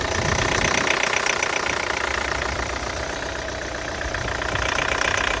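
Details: Peugeot 508 SW 2.0 Allure that shut off 20 seconds after starting and then restarted only with difficulty, showing a warning message: an uneven knocking clatter at about four beats per second over the idle, cause unknown.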